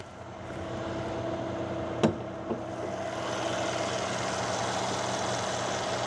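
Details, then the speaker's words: 2014 Mercedes CLS 550, one owner, dealer-maintained, 50,310 miles, heard under the open hood; smooth, even low idle with a steady hum and no ticks or misfires, plus a brief clunk as the hood opens; normal idle. "It's so clean under here. You can hear it idling very happily."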